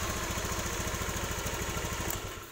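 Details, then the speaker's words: Honda BeAT FI scooter with ACG starter, after repairing the broken ACG coil wire that caused relay clicking: single-cylinder idle with an even, steady firing pulse and no starter chatter before shutting down; sounds healthy. "kita sudah normal kembali ya kita coba sekali lagi oke sudah normal"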